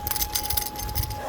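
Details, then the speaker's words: Gravel bike ridden on a rough field road: a thin, steady high squeak under the gravel rattle, which the rider attributes to a dying rear hub seal. "Jak słychać, moja uszczelka na tylnej piaście jakby miała umrzeć, piszczy."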